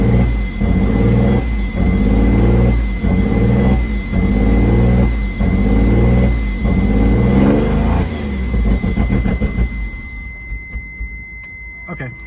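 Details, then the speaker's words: 1991 Mitsubishi 3000GT VR4, rebuilt engine (185,000 miles before rebuild), runs rough after sitting months empty then refueled: uneven lumpy idle with a loping pulse about four times a second, then dies. "okay all right so pushing the clutch turn the key so as you can see it starts but it doesn't sound right"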